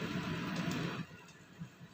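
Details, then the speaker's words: Samsung manual microwave (code M171N) after repair of a loud-noise complaint: steady low hum with no scraping or rattling, then a clean shut-off; running normally. "ครับครับนะครับไม่มีเสียงแล้วนะครับอ่าปิดไปนะครับทำงานปกติทุกอย่างนะครับ"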